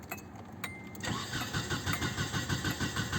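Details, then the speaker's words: 1996 Nissan Altima on a cold day: steady cranking at about three turns a second with no firing, no spark and no tach signal; cam or crank fault suspected, possibly timing, after a previous distributor rotor and cap fix. "attack is not moving either so we might be dealing with a cam or crank related issue"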